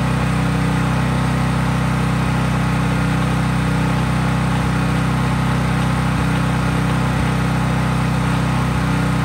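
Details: Craftsman 5000-watt generator outdoors after a cold start, with no load (only an LED bulb plugged in): a steady, even drone at constant speed, no surging or misses; normal healthy no-load running.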